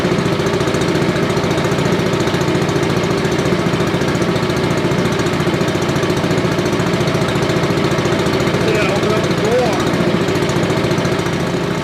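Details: Billy Goat leaf blower, Briggs & Stratton 9.5 hp single found headed to scrap, sooty plug, low compression, slightly choked: steady even run at constant speed, no misses or knocks, running well.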